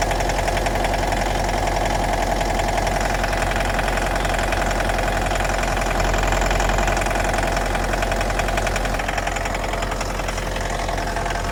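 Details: 2011 Mitsubishi L200 with 2.5 diesel and automatic, 79k km on a clocked odometer (likely 150–200k more), inspected before purchase; even idle with a steady knock about two to three beats a second. Internal engine knock, cause not pinned down.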